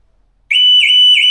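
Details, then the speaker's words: New Audi Q6 e-tron, alarm set off right after remote climate activation via the app: sudden shrill wavering siren rising and falling about three times a second; false alarm that happens every time and the app can't stop it. "I aktywował się alarm. Dzieje się to za każdym razem."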